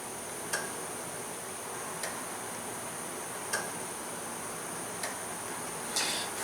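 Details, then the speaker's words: 2001 GMC Sonoma 2.2 with P0410 secondary air injection fault, key on, air pump relay commanded on/off by scan tool: sharp relay clicks under the hood but the air pump never runs; relay itself not yet confirmed good. "So, I can definitely hear a relay clicking under the hood. Um, this kind of verifies good control to this relay."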